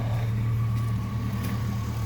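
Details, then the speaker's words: Truck with 282,000 miles and a 160° thermostat, warm idle at normal operating temperature after adding Liqui Moly lifter additive: a smooth, deep drone with no hard tapping, only faint light chatter; lifters are quiet now. "of course you can hear you don't hear the the hard tapping that you would normally hear that i was hearing i mean it sounded like the truck was knocking really bad"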